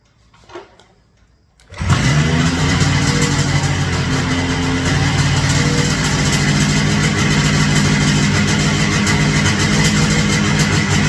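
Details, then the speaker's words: Rotax 447 two-stroke on an ultralight, started with the propeller off after a power loss on takeoff blamed on a failed fuel pump; good spark and compression: catches quickly, settles into steady, even buzz with no misses; engine healthy. "did a compression check and everything has good spark good compression I actually started it with the prop off started right up just like it normally does"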